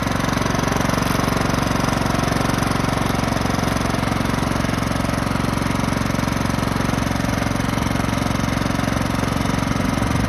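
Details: Craftsman lawn tractor, 15.5 OHV single-cylinder, sat 3–4 years, after clearing a nest and adding fresh gasoline: a steady, even chug at constant speed with no knocks or misses; running normally.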